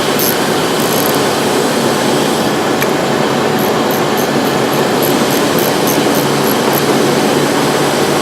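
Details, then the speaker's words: 1997 Mercury Grand Marquis petrol engine idling with the battery disconnected, a test for intermittent speaker buzzing and stalling: steady, even running with a constant hiss, no buzzing or stumbling. Normal idle. "So once again, the battery's unplugged now. The car is running."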